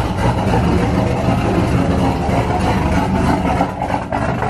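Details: Cammed LS3 Corvette V8, first start after cam install with fresh oil and coolant: loud, choppy idle that lopes and stumbles about three beats a second; the big cam needs a tune.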